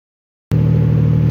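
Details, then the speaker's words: 2012 Nissan Pathfinder 4.0 V6 at idle: rapid, throaty puffing rumble from a badly leaking exhaust manifold, passenger side, back corner. "we have a 2012 nissan pathfinder with a 4.0 liter engine and as you can hear it has a really bad exhaust leak"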